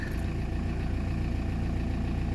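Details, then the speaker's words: Audi A4 B5 1.9 TDI AFN idling just after first start following a snapped timing belt replaced: even diesel idle with steady low rumble, no misses, knocks or rattles; engine runs evenly, healthy. "silnik pracuje równo bez najmniejszych problemów odpaliła"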